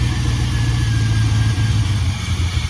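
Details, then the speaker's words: 2001 GMC Sierra 1500 started after a fuel pressure test showed a dead fuel pump; deep engine rumble that sags unevenly and weakens toward the end, starved of fuel, barely running before pump replacement. "Turn it on. Look at that. Dead fuel pump. Dead fuel pump. Go ahead and start it up. I'm surprised it's even running."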